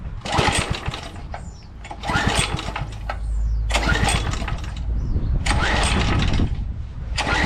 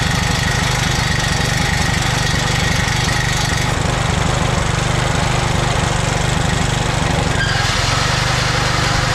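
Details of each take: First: 2007 McLane reel mower, which fires and shuts right down, cranked on choke on a day of about 84°F: repeated recoil pulls give short churning bursts with no catch; a no-start. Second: 2007 McLane reel mower small engine after a carb clean, on choke at fast throttle, running on fuel poured into the carburetor bowl with no tank fitted. Fast, even beat with no misses, then drops away as the kill switch shuts it off; normal running.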